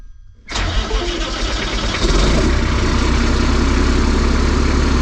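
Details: Hay squeeze diesel with PT fuel pump and ECM, newly wired and plumbed, no exhaust fitted: brief crank, then it catches and settles into a loud, even clatter; code cleared, oil pressure about 60 psi; a healthy start.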